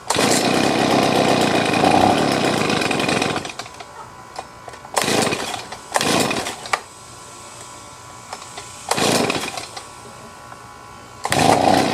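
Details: Stihl BG50 two-stroke blower, previously hard to start, after a quick high-speed carburettor adjustment: strong, even high-rpm buzz between bursts, no stumbling or surging; running good and steady.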